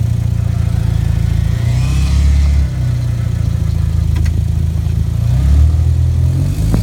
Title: 2013 Genesis coupe 8 speed automatic making noises !